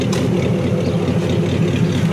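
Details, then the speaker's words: Hopped-up flathead V8, estimated around 200 hp, with 5-speed, 12-volt wiring, electric fuel pump and dual exhaust, idling after a service with new belts, plugs and carbon gaskets: deep, even low burble, steady firing, no misses or ticks, purring like a kitten. "Listen to that. Just purring like a kitten."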